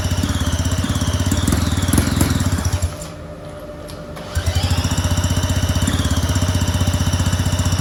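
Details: Two-stroke go-kart engine on premix, open exhaust: rapid, even popping dips briefly then picks back up to a steady beat; idles fine, though owner suspects the carb makes restarting very difficult.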